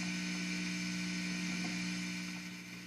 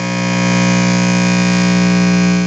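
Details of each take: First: Vox VT40+ guitar amplifier at high gain: steady low buzzing hum with a thin high whine that grows as volume is turned up. The hum is attributed to the amp's tube/cathode picking up surrounding electrical signals. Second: Vox VT40+ amp with 12AX7 preamp tube (Valve Reactor), just switched on with knobs up and no signal; steady loud low hum with a buzzy edge, the tube warming up; normal.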